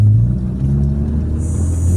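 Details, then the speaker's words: Carburetted Mitsubishi Lancer on a test drive after carb overhaul, unclogging of intake manifold lines and distributor timing adjustment: steady drone pulling evenly under throttle with no stumbles or cut-outs. The earlier misfire and low power are fixed. "So ayan mga boss kung makikita niyo dire-diretso. Wala siyang putol mga bossing."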